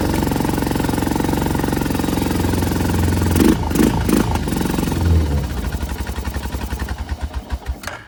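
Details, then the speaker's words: Used single-cylinder ATV from a multi-machine lot, first start: runs on held throttle, then rpm sags into slow uneven chuffs, unable to settle; won't idle. "It's not going to idle. I get the gas off still."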